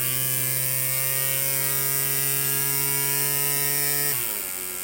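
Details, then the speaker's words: Bissell 3-in-1 vacuum foot, brush-roll motor RS-380SH-19156RBPY (18 V) on a bench supply: buzzing whine sags and stutters out as it vibrates and cuts out with a burning-electronics smell. Owner guesses bearings worn by belt tension; teardown found factory mis-ground motor brushes. "something is vibrating some letting loose and then it just it starts uh messing up the motor hear that it's wanting to cut out now"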